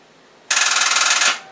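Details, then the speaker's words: Project car, first crank after wiring, fuel system not yet done; a fast buzzing chatter of clicks under a second with no cranking, starter solenoid chattering, owner suspects low battery voltage and a worn-out battery. "then crank so you hear that that's the starter I think it may be because the voltage is a little low I need to check that"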